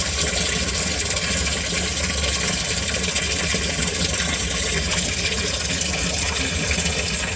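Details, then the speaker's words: Home-inspection sump pump kicks on after water is added above the float threshold; steady even motor hum with water rushing over it, running normally. "So I'm gonna add water, and it's gonna go above the threshold, and you're gonna hear it kick on."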